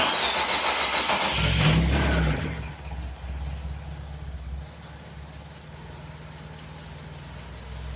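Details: Engine just reinstalled with a lightened flywheel, first start: it cranks, catches fast, revs sharply, then drops to a steady, even idle. It starts and settles cleanly.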